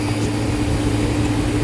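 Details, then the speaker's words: Walk-in freezer compressor during a pump-down test with the liquid line valve closed: an even low hum with a steady drone, running on with no cut-out yet; the test checks whether short cycling comes from an internal compressor leak. "By just closing this valve, it'll be putting it in a pump down state."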